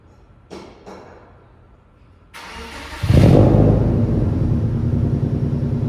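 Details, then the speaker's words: Subaru with a spark problem, after fitting new OEM STI coil packs and one-step colder plugs. A couple of clicks, a quick crank, then it fires, revs and settles into an even idle that already sounds smoother: normal start and idle. "cars right off the bat right off the bat it sounds smoother like I don't even know if you guys can tell right off the bat it already sounds smoother so that's a huge plus"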